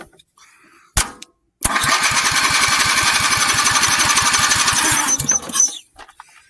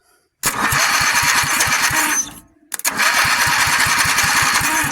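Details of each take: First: 400 cc engine on a replica build, cranked with a golf cart battery: rapid cranking about four beats a second with loud pops, then dies; popping but not starting yet. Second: Rotation test of a build's motor, cranked before oil was added: quick, even chuffs as the starter spins it over, a short pause, then another steady crank. The rotation sounds smooth and healthy.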